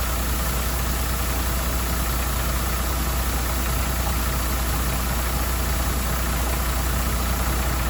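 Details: MAN TGM truck, D0836 LFL diesel, brought in smoking and misfiring; engine removed, rebuilt, and refitted with stand-tested replacement injectors. After the rebuild it gives a steady, even clatter at idle with no misses; healthy idle.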